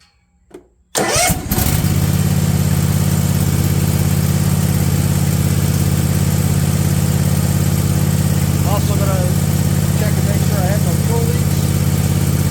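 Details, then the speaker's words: Husqvarna Z254F zero-turn mower after tune-up and replacement of starter, starter solenoid/relay and fuel pump: brief crank, catches within a second, settles into smooth steady idle; starts normally, fault likely the relay all along, mimicking a bad starter. "leaks and everything looks good perfect so fairly good possibility that it was the relay all along but it was acting like a bad starter"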